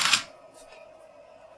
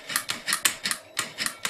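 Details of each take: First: Mercedes S600 throttle body with ASR on the bench, simulating a bad clutch coil or an E-gas module not energizing it: one short whirring buzz as the throttle motor spins once, then silence as it shuts down and the car would go to limp mode. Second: Mercedes electronic throttle body on the bench, clutch coil energized: crisp click then short whirring gear movement as the throttle plate moves to idle position; normal actuation before simulating a bad clutch coil.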